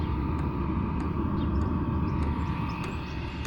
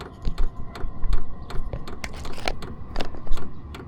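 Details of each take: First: Vevor 5 kW diesel heater with an aftermarket Wayska fuel pump and aftermarket muffler: a steady low rumble with a soft airy intake hiss louder than the exhaust and faint pump ticking, no harsh exhaust roar; normal running. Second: Vevor 5 kW diesel heater fitted with an aftermarket Wayska fuel pump and aftermarket muffler: exhaust is nearly silent, but the dosing pump ticks with sharp hard clicks about twice a second; loud fuel pump ticking.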